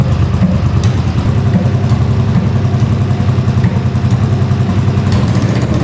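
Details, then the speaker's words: 1981 Honda CX500 twin after years sitting, running without pod filters or airbox, on choke: lumpy, uneven blipping and sagging at low revs, popping; owner suspects missing airbox and a worn accelerator pump diaphragm that isn't working; rough running when revved. "it's definitely running better with the choke on I think it needs that airbox sounds really [Music] weird"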